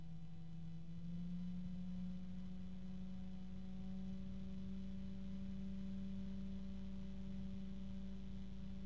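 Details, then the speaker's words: Cooler Master Blade Master 120 PWM fan sped up toward maximum: quiet fan growing noisier, droning tone near 200 Hz creeping upward; harmonic resonance at high speed. "So let's go ahead and speed it up, although it's very quiet. All right, now it just got noisier already. Ooh, there's our weird harmonic resonance right there."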